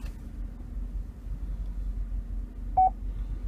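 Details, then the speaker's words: 2008 Chevrolet Tahoe LTZ backing up in a quiet cabin with a low rumble: a short mid-pitched beep from the rear parking sensors warning of an object close behind. "now you hear that beeping that's just let me know i'm getting too close to an object it just helps you when you're backing up to see where you're at"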